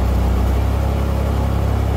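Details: Pontiac Fiero during R12-to-R134a A/C conversion, compressor test by jumping the low-pressure switch: steady low idle with even pulse, no clutch click or rpm drop, with compressor off; normal idle.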